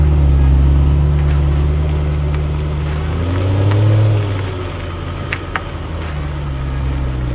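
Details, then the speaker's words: Rebuilt BMW E92 M3 with DCT dual-clutch gearbox on test drive after rebuild, no warning lights: deep smooth engine drone rising and settling with clean quick gear changes, no knocks or roughness; normal acceleration. "Everything's put back together, no warning lights on the dash, and it runs real smooth and it drives even better."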